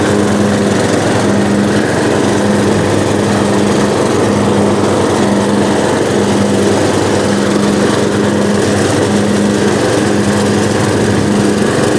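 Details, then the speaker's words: Riding lawnmower that sat outside all winter on stale gas, battery kept indoors: started right up, steady even drone with a regular low pulse and no misses or knocks; running clean and healthy. "wow i can't complain about that fellas that thing started up after sitting all winter"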